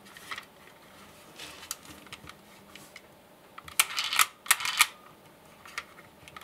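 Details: Old MP3-to-cassette adapter in a deck, fed from the headphone output of a Galaxy S10. Bursts of dry, uneven high-pitched clicking and chattering as the adapter's internal cogs rattle badly, and playback sounds poor.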